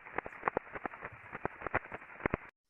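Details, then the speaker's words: Conveyor bearing on a combining roll, flagged by ultrasound RMS alarm with crest factor rising to 25.42; repetitive clip-clop impacting like a horse walking over a steady hiss; teardown found a loose cage and damaged rolling elements. "it's like a clippity clop but uh repetitive impacting going on so once they actually took this apart there was a lot of looseness in the cage and there was some definite damage on on a number of the Rolling elements"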